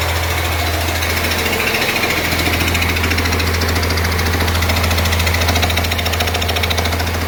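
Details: 1948 Ford F6 COE rat rod with 190 HP 5.9 Cummins 6BT (from 1994 Ford F700), P7100 pump, #10 fuel plate, first start-up: steady diesel idle under loud regular pounding chatter, about three beats a second, from the air compressor. Not smoking much; engine fine.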